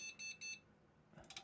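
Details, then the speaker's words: Desktop PC on internal graphics after BIOS reset: as soon as GPU power is connected, three beeps, maybe one long and two short, with no picture; POST beep code for graphics card error. "As soon as we connect GPU power up, it comes up with a three beep. One long and two short, I think it is"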